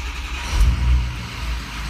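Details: 2006 Ford King Ranch diesel, 102,000 miles, intermittent hot no-start: hot restart, deep rumble swells briefly then settles to even idle, no misses or knocks; runs fine, fault not reproduced.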